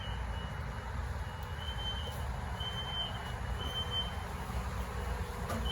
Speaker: so investigating this noise i can't figure it out and it did just rain and the noise is still going but it's loud it's literally right here and right there is my apartment